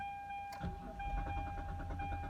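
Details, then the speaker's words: 2001 Mitsubishi Eclipse GT Spyder, 3.0L, died while driving: a warning chime, then the starter cranks at an even rhythm and the engine never fires, a crank-no-start. "just cranking and that's all has been doing so I'm going to go ahead and start testing some more stuff"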